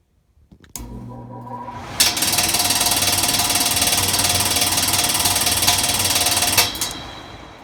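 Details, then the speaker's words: Attic furnace blower: quiet low hum while spinning up, then a harsh loud rattle at full speed, quiet again slowing down; blower wheel wobbles and rubs its housing. "And what you'll hear is, as it spins up, it's pretty quiet, but once it gets to speed, then the sound will kick in. And then same thing, when it slows down, it gets quiet. So there's some sort of wobble in here."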